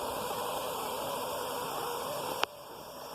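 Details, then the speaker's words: Pressure canner venting steam for the 7-minute vent at 0–1,000 feet altitude in Southwest Arkansas: steady hiss with faint whistling, even and unbroken until it cuts off; normal venting. "A little note of warning here. That steam is extremely hot, and it can burn you very, very badly. So don't stick your hand over that, but I want you to hear it."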